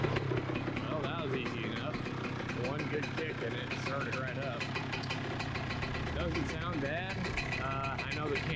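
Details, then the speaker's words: 2007 Honda CR125R two-stroke, first start after rebuild, idling before warm-up: crisp, steady burble with even firing, no knock or needle-bearing rattle heard; engine sounds healthy. "is going to pick up more noise than what i'm hearing but it's not knocking i can't hear the needle bearings or anything good"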